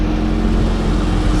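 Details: Engine running after installing new upper and lower intake manifold, 80mm throttle body and coil packs, first start-up with AC on: steady, smooth drone with constant low hum, no knocks or misses; runs evenly after earlier popping.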